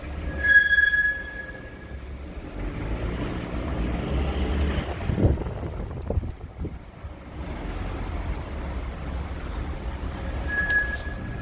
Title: Toyota GX 300 Series Brake Squeal